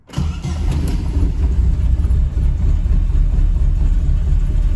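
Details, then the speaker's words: Corsa Classic after maintenance including replacing worn spark plugs gapped over 1 mm (1.25 mm): catches immediately, low even idle with no stumbles, more constant than before; clean healthy start and idle. "I don't know if the difference will be noticeable in the video but you can hear that it sounds The sound was a little more constant, so it improved there."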